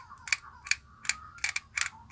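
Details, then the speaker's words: Hummer PLI12 cordless drill/driver, motor already repaired and now spinning both directions: sharp metallic clicks about three times a second over faint motor whir, something seemingly loose in the gear mechanism; gear rattle, gearbox about to be disassembled. "Beleza, o motor a gente resolveu. Agora vou dar uma olhada nessa engrenagem aqui, porque eu não tô gostando desse barulho aqui não."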